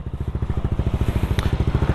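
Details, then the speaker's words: Replica Pro motorcycle exhaust pipe two years on, after fixing a faulty screen that caused a tinny rattle (tightening the crankcase screw had not helped): deep, even exhaust pulses with no tinny rattle, no longer sounds like a tin can; healthy exhaust. "Ayan siya ngayon. Hindi na siya tunog lata uli."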